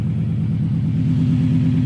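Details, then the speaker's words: Subaru Legacy GT project car under light throttle, easily hitting boost: low steady rumble with a quick, even puffing pulse tracking the engine, an exhaust leak, otherwise sounding good. "aside from the exhaust leak everything sounds good it actually was hitting boost pretty easy"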